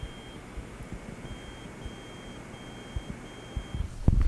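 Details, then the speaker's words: Klipsch ProMedia computer speakers: in Bluetooth mode the hum heard on the other input goes away but a faint, high-pitched beep keeps repeating over quiet room hiss; owner considers the unit defective. "now if i switch to bluetooth that hum goes away and it goes to this little beeping do you guys hear it"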